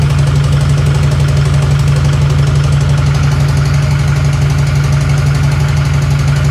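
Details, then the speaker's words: Newly built SoCal Diesel twin-turbo 1,000hp Duramax idling heavy and lumpy with an uneven beat of about three pulses per second. An infrared thermometer check found three dead cylinders: a misfire. "maybe there's sounds like there's a couple followed up cylinders and yeah that's exactly what it was seeming like"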